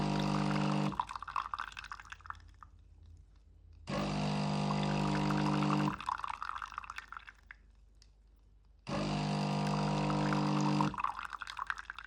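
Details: DeLonghi Magnifica automatic coffee machine brewing a long black from beans: the pump hums in even bursts about three seconds long with quiet trickling between; normal brewing.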